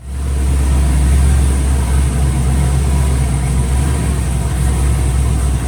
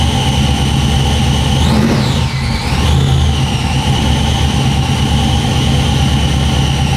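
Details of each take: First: Truck after transmission rebuild with new torque converter and flex plate: steady, even low idle rumble with no knocks, clunks or surging; engine and driveline sound healthy. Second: Truck running on dyno after a loose throttle body gasket was fixed; high whine rising and falling with speed, absent for a split second at startup until charge pressure built; transmission suspected, not the starter.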